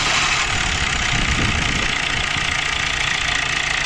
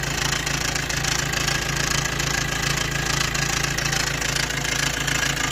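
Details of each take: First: Maruti Dzire engine starting after timing chain replacement, which was done for loud chain noise: catches and settles into an even, smooth idle with no rattle or slapping from the front; chain now quiet. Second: Maruti Dzire petrol engine at idle, recorded near the engine after startup: a loud metallic chatter over the hum from a worn timing chain set that is due for replacement.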